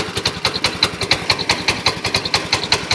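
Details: Small single-cylinder engine, replacement motor, electronic ignition, electric start, glass-bowl fuel filter, possibly 7 hp, warming up; crisp popping about five beats a second, even and steady, no misses; healthy idle.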